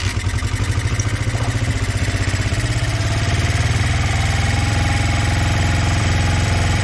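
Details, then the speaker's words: Honda CB125 twin with a new cylinder barrel, cold day, carbs needing new jets and one float bowl found dry, runs at fast idle with a lumpy, uneven pulsing beat; one side stays cold, owner suspects firing on one cylinder despite good spark. "It's hard to tell if it's even firing. I think it might just be firing on one cylinder still."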